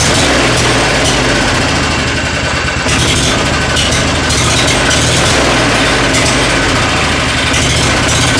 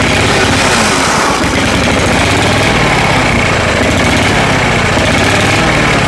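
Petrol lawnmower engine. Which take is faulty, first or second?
second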